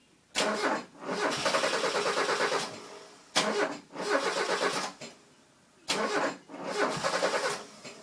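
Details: Mazda 323 GTX after setting TDC: three cranking bursts, starter spins engine at even pace but it never fires; crank no start.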